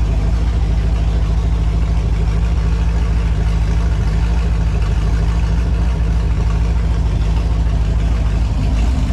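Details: Holden 253 V8 on test stand after rebuild (new main and big-end bearings, honed bores, new rings, Yella Terra heads, new timing chain, gaskets): deep, even idle about 200 beats per minute, no knocks, misses or leaks; healthy.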